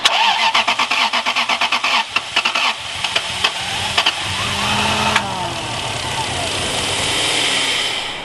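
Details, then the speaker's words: Lexus LS430 abandoned and sitting, starting after reconnecting an unplugged low-pressure fuel pump plug: long cranking, then catches stumbling and uneven, lumpy like running on only a couple of cylinders; misfire. "So now we're gonna give it a crank. It sounded like it was on a couple cylinders."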